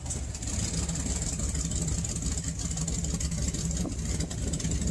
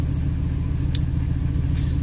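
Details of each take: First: 1998 Ford F-150, 5.4L Triton V8, rough idle when stopped but runs fine on throttle, sometimes stalls: uneven lumpy idle that sounds almost like a misfire but isn't, with the exhaust shaking; caused by a vacuum leak. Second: 1998 Ford F-150, 5.4L Triton V8, after fixing the vacuum leak that caused rough idle and stalling: steady, even low idle rumble with no misses or hunting.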